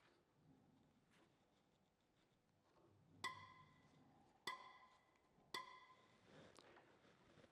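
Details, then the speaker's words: Tractor diesel injector nozzle on a bench pressure tester, opening pressure adjusted down from about 170 to about 120 bar; three sharp pops with ringing creak, spray now a fine mist instead of jets: normal injector chatter, as it should sound. "Och sen är det ljudet som är helt annorlunda nu. Det knarrande ljudet det är så det ska låta."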